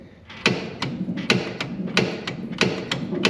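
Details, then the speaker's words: 1980 Corvette rear strut rod rocked by hand: sharp irregular pops and clicks from poly bushings installed six years earlier, collapsing and disintegrating near the exhaust by the differential. "You're gonna watch right here and just check out how much movement this has. You hear it popping,"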